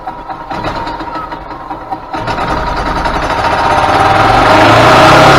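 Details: 2000 Yamaha G16A golf cart engine after rebuild, which came in making a very loud racket and would not go; fresh oil, filters and spark plug; catches after a few uneven firings, then climbs smoothly with no knock; running healthy.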